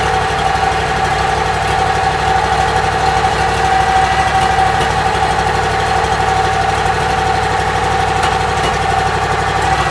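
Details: Briggs & Stratton Vanguard engine, just rewired and started on choke, charging battery toward 13.3–14 V: steady, even idle with constant pitch and no knocks or misses; runs healthy.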